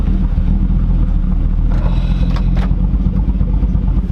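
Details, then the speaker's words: Hummer H3 with new 4L65E transmission and Truck Norris cam, first drive in a long time, shifting through gears: strong, steady pull with smooth deep exhaust note, no knocks or rattles; runs healthy. "I'm so freaking stoked on this thing. Oh my goodness. It runs so good."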